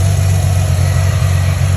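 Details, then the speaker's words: 2010 Ford Mustang 4.0L V6 after MAF sensor replacement and battery disconnect PCM reset (previously rough idle, sluggish acceleration); smooth, even low rumble, no misses, hunting or stumble, idling steadily and healthy. "Anytime that you like reset, it's gonna take a second for it to come back and be able to start right back up, because all of the essential functions of the engine were disconnected because of the battery. So right now it's starting back up."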